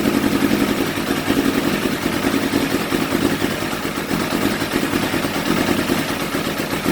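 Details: Carbureted engine with choke open, still hesitant to start: steady but lumpy idle with an uneven, stumbling beat instead of a smooth hum; rough-running idle, cause not yet found.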